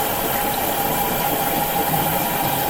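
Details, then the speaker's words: LG WM3600HWA front-loader, about 4 years old, Normal cycle with Extra Hot Wash, filling from the bleach dispenser: steady slosh and faint hum, water splashing off the paddles, no knocks; faint bearing sound noted. "It's gonna fill from the bleach dispenser. You can actually kind of hear that water splashing in there. From the paddles, I think. I think that's from the paddles, yeah."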